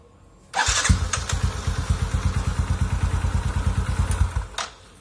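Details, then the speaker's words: Motorcycle that would not crank despite 12.4 V battery, after cleaning the starter motor's dirty, carbon-fouled brushes and commutator; short crank then fires at once with even beat about three pulses a second; normal start. "Oke motor sekarang udah bisa distater yah kita coba sekali lagi"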